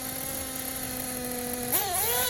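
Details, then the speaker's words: Tekno Blok 21BM nitro engine in a buggy, held at about 10–15% throttle then punched: high scream lurches, sags and wavers before climbing; hesitation from too much leftover fuel, bottom-end needle set too rich. "and then punched it and it hesitated because there's too much fuel left over because the bottom and needle is too rich"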